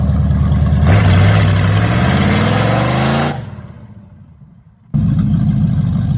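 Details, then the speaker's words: 1973 Plymouth Barracuda, hopped-up 360 V8 with 727 automatic (reverse manual valve body), after replacing the old Holley carb with a newer Edelbrock: deep rumble rises smoothly with throttle and falls cleanly to idle, no stumble or backfire; runs healthy. "Well, it definitely runs better than the way it used to. That's for sure. You know, with a little bit newer carburetor on there, of course, it'll run better."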